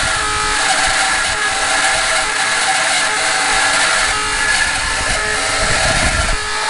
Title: Walrus TQI 1500 making loud noise - 2016 05 27 10 42 00